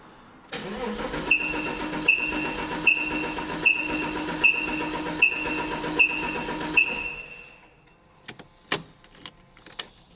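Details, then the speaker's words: Porsche 986 Boxster S, about 48,000 miles, barn-stored 3.5 years, old quarter-tank fuel, oil at minimum: even starter cranking with a sharp high chirp each turn, never catches; cranks but won't start, immobilizer issue thought unlikely. "That's an interesting noise. Yeah. I'm safe in saying that I don't think it's an immobilizer issue on the 986 9996 platform."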